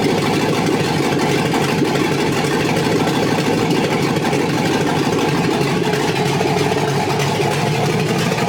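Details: First start of an SS Trailblazer 6.0 LS2 freshly rebuilt with new crank, main, rod and cam bearings, Trick Flow cam, gaskets and seals, exhaust manifolds not yet connected: loud, raw, steady V8 idle, even with no knocks or misses.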